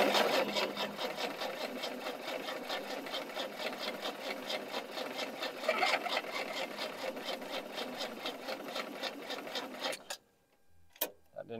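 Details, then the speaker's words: 1976 HX Holden Ute revival, carby leaking fuel at base: steady starter churn about two beats per second, light knock, no firing; owner suspects ignition; cranks but won't start with knocking. "I can hear something knocking in there already. Which, I wonder if it's not starting because the ignition."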